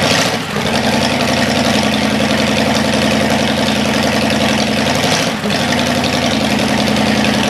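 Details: Cadillac 390 V8 after sitting 8 years, cold, untuned: settles into even, steady idle a touch fast, no knocks or misses. Water pump leaking, carburetor leaking less. Normal cold idle, slightly high.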